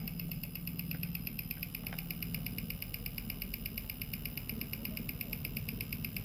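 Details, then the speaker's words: Mahindra Jeeto EDC17C61 ECM on a bench tester with 12V battery and signal generator, rail pressure set to two, fuel injector driven at 1000 rpm; crisp even ticking about eight times a second over faint hum. Injector firing cleanly. "अभी injector 1000 RPM पर चल रहा है, आप इसकी आवाज़ सुन सकते हैं"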